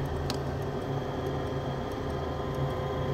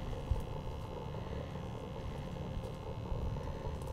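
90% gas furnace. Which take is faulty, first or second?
first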